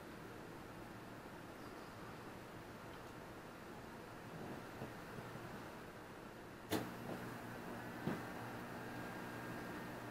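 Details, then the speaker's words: APC Back-UPS Pro 1500 (810 W rated, 9 Ah battery) with over 700 W load, gaming computer running, switched to battery: a couple of sharp relay clicks then a low steady hum as the inverter carries the load without shutting down; normal. "so we are kicked to battery officially it's lit off"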